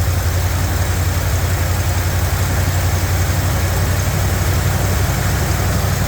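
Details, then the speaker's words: Revived truck V8 warmed to operating temperature (the gauge is not working): steady, even low rumble with no knocks, misses or ticks, idling smoothly and healthy. Some smoke appeared. "all right as y'all can see it ran it idled it sounded really really good I started getting U I let it get up to operating temp it was running great"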